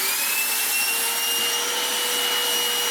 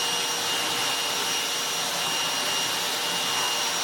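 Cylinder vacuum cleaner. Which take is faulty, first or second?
first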